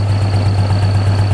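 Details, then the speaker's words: Infiniti G35 idling after a new test pipe install: fast, even puffing pulse from an exhaust leak, suspected at the flex joint. "that exhaust leak is freaking ridiculous like where's it coming from i think it's coming from that freaking flex joint man"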